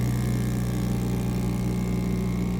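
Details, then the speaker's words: Sublimation machine vacuum pump on a phone-case heating pad, starting after about 20 seconds and reaching 0.06 on the gauge: constant deep motor hum with steady low drone, no knocking or grinding; normal running. "It needs 20 seconds for the vacuum to start working. For the pressure of the pump, it will be 0.06 PA. After 20 seconds, it will start working."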